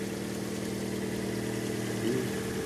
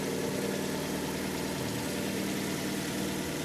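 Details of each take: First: Fiat Albea petrol engine idling cold right after start: quick, even ticking for seconds up to until warm-up; caused by loose exhaust manifold, two outer studs loosened, fixed by tightening. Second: Fiat Albea petrol engine idling steadily and evenly with no knocking after retightening loose exhaust manifold studs, which had caused knocking after cold start until warm; normal idle.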